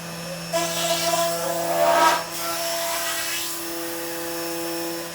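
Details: CNC router running Mach3 after noise problem fixed with an opto-isolated breakout board: steady high spindle and stepper tones, smooth run with brief louder sweep mid-clip, no crackle or stutter; normal running.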